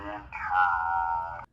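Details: Electronic sound instrument after potentiometer replacement: clean electronic tone slides down and holds steady for about a second, then stops cleanly; working normally.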